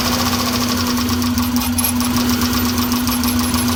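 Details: 2001 Subaru Impreza L 2.2 manual, 155k miles, at idle: uneven idle with irregular stumble and shake under a steady drone; cylinders 1 and 3 misfire despite new plugs, wires, coil pack, fuel filter and cleaned MAP sensor; cause not found.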